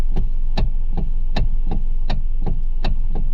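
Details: Kia/Hyundai with electric power steering clicking every time the wheel is turned: steady low, dull clicks, three or four a second, over a hum. Cause is the worn plastic coupler in the steering column (part 926 990); replacing it fixes it.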